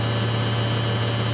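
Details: Samsung 8kg Eco Bubble front-load washer, used 3 years, spinning at 1200 RPM near the end of the wash: steady, even high-speed whir with a constant low hum, no knocks or scraping; normal spin cycle.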